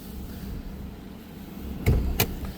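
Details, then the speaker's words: 2025 Ram 1500 SST, engine idling quietly: two brief scraping rasps each time the door is opened, the door rubbing on the body. "we're going to pop the hood again see you you can even hear that door rub every time I open"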